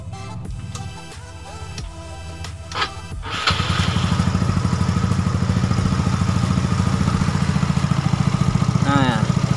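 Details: Carbureted Yamaha Nouvo "lele" scooter with stock jetting and freshly set valve clearance, before a planned bore-up: the starter catches after about three seconds and it settles into a steady, even idle of about 3.5 beats per second; sounds healthy.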